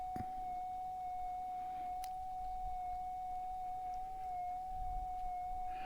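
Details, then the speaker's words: Minelab GPZ 7000 gold detector at startup, auto-tuning through settings to adjust to electromagnetic interference. A steady pure tone near 750 Hz holds over a quiet hiss; this is the normal noise-cancel tune. "Now the machine itself is going through a whole bunch of different settings so that it can best adjust to the EMI, electrical magnetic interference. And once it finds the best spot, it's going to be done, and I'll be ready to set up the machine"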